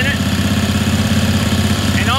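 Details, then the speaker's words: Ingersoll 448 lawn tractor, Briggs & Stratton 18hp Vanguard V-twin: fitting the OEM Briggs air filter makes it bog and run rough and lumpy, believed due to that filter being more restrictive; runs normally without it or with a STENS filter. "immediately you can hear the engine start to bog out and it's running rough so we're going to remove that air filter"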